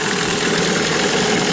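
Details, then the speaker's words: New Hangkai 9.8 two-stroke outboard breaking in in a barrel at 1/3 throttle: steady even buzz with no knocks or misses. The engine is about 44°C, warm not hot, and the telltale stream is strong; it runs smoothly. "Двигатель тепленький, даже не горячий. Контролька шпарит хорошо и отлично."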